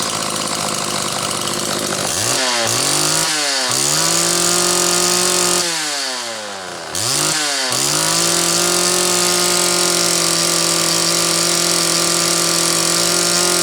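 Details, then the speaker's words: Homelite XL chainsaw on its final test run after the Zama C2S-H5A carburetor rebuild with the inlet needle spring correctly placed and a DJ7J plug: the two-stroke buzz sweeps up and down cleanly through throttle blips, then holds a steady high idle; the spring was judged the issue. "okay he's loading up a tiny bit at idle an extended idle but not bad I'm comfortable that that spring was our issue"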